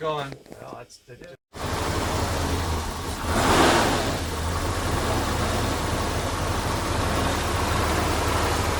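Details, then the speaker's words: 1985 Porsche 928S V8 idling rough after warranty fuel pump replacement, following new plugs and wires; uneven, lumpy idle with no clear knock; owner suspects an injector or fuel filter and has added injector cleaner; rough idle, cause unconfirmed. "all right let's run it out but it's rough"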